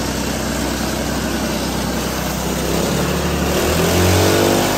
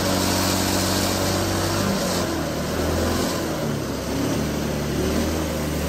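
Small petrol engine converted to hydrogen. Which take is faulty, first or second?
second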